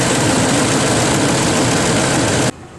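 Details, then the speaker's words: Ford F-150 after replacing a stuck VCT solenoid that caused a rough idle and about 10 codes, now passing the code scan: a big petrol engine settles into a steady, even idle with no misses or loping. "like a big blue's supposed to sound. More rocking and rolling."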